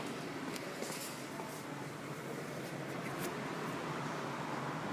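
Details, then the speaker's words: Honda Fit rear hub, normal left side spun by hand for comparison with the faulty right: only a soft, even whisper, no droning or grinding, normal wheel bearing. "音は状態ですえこれが正常な状態です"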